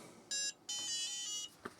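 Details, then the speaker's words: Book8088 laptop after swapping in a UMC 8288 bus controller chip: clean short beep then longer steady beep, boots normally; the original Harris chip is assumed faulty. "and it freaking booted up it freaking booted up that means that this Harris chip I'm assuming is going to be the faulty part"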